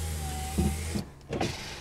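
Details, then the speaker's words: 2009 Ford Crown Victoria Police Interceptor, ex-government auction car: after reconnecting a loose rear window switch connector, the rear power window motor gives a steady low electric hum for about a second, then stops with a soft thump; windows working normally. "All right. The windows work now."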